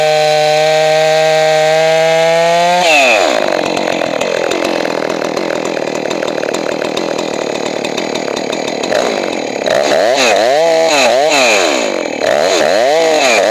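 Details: Johnson Red 670 chainsaw after a Tillotson carburetor rebuild and high-speed adjustment: high buzzing idle, then screams up and holds under load, pitch dipping and recovering while cutting. Normal cutting, well tuned.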